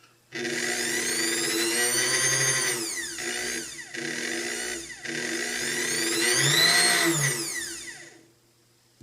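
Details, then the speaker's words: Antique Kenmore sewing machine's original motor, test run after tune-up with reused brushes reseated and bushings oiled: high, smooth whine spins up quickly and holds steady through brief speed dips, no scraping or ticking; strong healthy motor. "strong motor I like it"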